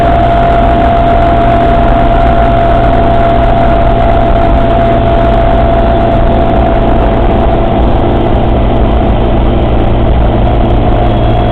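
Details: Suzuki Samurai at idle: a steady low drone with a thin constant whine running through it, strange noises from the transfer case, cause unknown.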